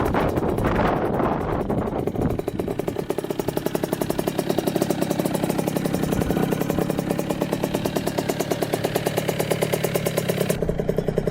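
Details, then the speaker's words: 2000 Kawasaki KX65 two-stroke after full rebuild (new piston, crank, bearings, seals), test ride up to third gear: crisp even popping rising cleanly with revs and settling, no knocks or rattles; runs strong, healthy. "thing has a lot of power for a little bike to a third gear [Music] [Music] [Music] yeah she runs really good I am impressed with that"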